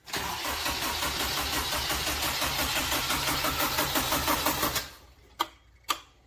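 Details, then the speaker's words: Honda K20-swapped Mazda Miata during its first start-up attempts, with Honda ECU, integration harness and full exhaust: the starter chugs evenly for about five seconds but it never catches. Crank no-start; fuel not yet fully primed is suspected. "I do a key couple times. I'm not sure that it's got the fuel fully"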